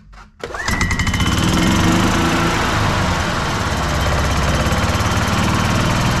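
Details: 2007 Club Car DS gas golf cart started after battery replacement (new battery): cranks and catches quickly, then settles into an even, steady single-cylinder putter with no misses or knocks; normal running.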